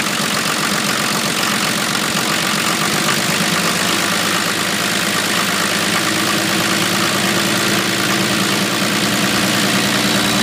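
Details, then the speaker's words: 1980 International Scout II with factory Nissan SD33T turbo diesel, first run after rebuild, cold idle: harsh, heavy, steady clatter, noticeably louder than others; owner unsure whether the cam is the cause. "that's what it sounds like it's pretty loud compared to some of the others that I've Just Seen on on YouTube um not sure if that's because of the cam or or what the deal is"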